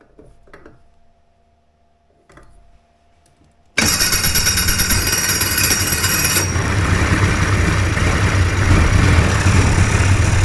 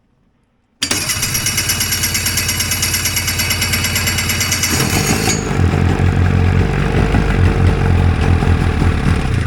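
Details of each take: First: Two-stroke hovercraft engine, newly fitted coil, carbs sorted, primed in the shop, fires after a few quiet seconds and settles into a steady, even idle with no misses or knocks; normal idle. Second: Homebuilt Hurricane hovercraft two-stroke engine after a new coil and carb work, with fuel dripping from the carbs: it catches and runs with a lumpy, uneven popping beat that grows rougher. The engine is flooding.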